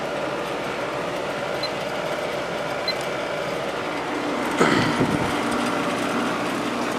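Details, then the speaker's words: Vintage 1972 GE Slumberline 6,000 BTU air conditioner with a GE compressor, fan on high, drawing about 5.9–6 A against a 7.5 A rating. Low, even hum with faint vibration buzz carried through the frame and one brief bump; compressor runs normally. "amps the compressor itself is very quiet it's just the vibration that's being transferred through the frame that you can [Music] hear"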